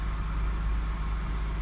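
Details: 1999 Honda Odyssey after no-start with flashing green key symbol, fixed by disconnecting battery: smooth low steady idle with no knocks, misses or whine; engine running normally.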